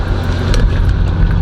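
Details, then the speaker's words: Oldsmobile Cutlass 307 V8 idling just after a cold start, freshly back from the mechanic: heavy, steady low rumble without stumbles or knocks. Normal idle; some oil burning and smoke at start is expected. "but this is idle I'm gonna die out I knew that was coming but bro that that Idol sounds good"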